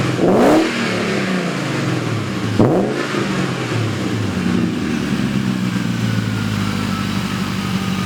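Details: BMW E31 840ci with M62 V8 after a manual transmission swap and new exhaust: 2.5-inch pipe, Vibrant muffler and resonator, MagnaFlow cats, X-pipe, flex pipes, V-band clamps. Deep, even rumble rising and falling with a couple of blips, no rattles or leaks; normal exhaust note.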